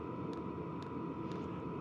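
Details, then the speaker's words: Vevor Chinese diesel heater with replacement fuel pump, settled into heating mode after priming, pump and blower slowed: soft even ticks about twice a second under blower hum; very low tapping, quieter than original pump. "so the pump is slowing down the blower is going down it just went into heating mode great we got hot air coming out and we have a very very low tapping sound from this"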